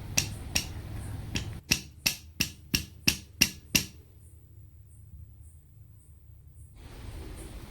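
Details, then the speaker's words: NS200 crankshaft tapped by hand on a quiet bench: about nine sharp metallic clacks, roughly two a second, as the loose connecting rod knocks against the crank, so the rod side play is excessive. "Connecting டாடுடைய side shaking வந்து ரொம்ப அதிகமாவே இருக்கு. அப்புறம் வந்து கையில புடிச்சு தட்டும்போது பார்த்தீங்கன்னாக்க ஒரு மாதிரி பெல்ட் சவுண்டு கேட்கது."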